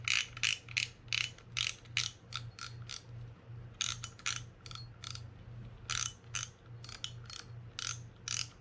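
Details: Shimano Stradic 4000FG reel after disassembly, service and reassembly, turned by hand: bursts of crisp, irregular clicking over a faint hum; the servicer dislikes the noise, though the reel feels okay, and its cause is not identified.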